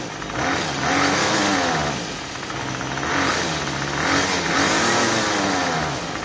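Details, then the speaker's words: Troy-Bilt TB32EC two-stroke trimmer after carburetor fine-tuning (was stalling on trigger, head spinning at idle); steady idle, revs up cleanly on each trigger pull and drops back without stalling: normal idle and throttle response. "so that's pretty close we want our head to stop when we stop giving giving it the gas and then we want it to idle but not stall but not too fast"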